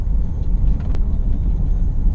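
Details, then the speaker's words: Land Rover Freelander 1 driven with propshaft removed because of noisy propshaft bearings: pulling away with only smooth low road rumble, no groan or whine, feels like more power; normal quiet driving. "At the moment I can't even tell that the prop is not connected. Got a lot more power as well, I will say."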